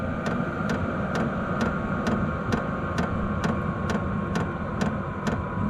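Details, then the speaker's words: Vevor 8 kW 12V diesel air heater with the fan turned down from 10 to a low setting (about 2–3). The fuel pump ticks about twice a second over a steady fan rush, much quieter than on high. Normal low-setting operation. "it also quiets it down by quite a bit too instead of this constant real loud tick it get nice and quiet"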